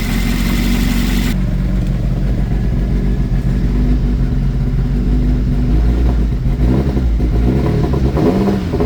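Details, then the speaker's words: Nissan Pulsar GTi-R engine (54C) after reshimming valve clearances, warmed up, revving: holds evenly with only a faint light tick up top, much less rattly than before; valve train noise acceptable, could use more shimming. "Still slug, but you hear the gearbox rattling about. It's ticking like what it used to be. That's better."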